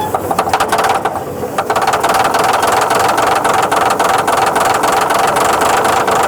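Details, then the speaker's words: Caterpillar D8H cable dozer sitting 15-plus years, being pull-started: big diesel cranks with even chugging at three to four beats a second but never catches; oil gauge mid, owner thinks no fuel until oil pressure; later found loose injector line bolts leaking fuel at the pump. "Okay, because it won't get fuel until it's got oil pressure, I think."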